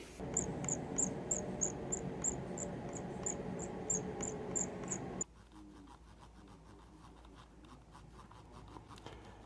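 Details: Glorious Model O Wireless mouse scroll wheel before repair: thin high squeaks about three times a second as the wheel turns, dry plastic rubbing, fixed by lubricating the wheel.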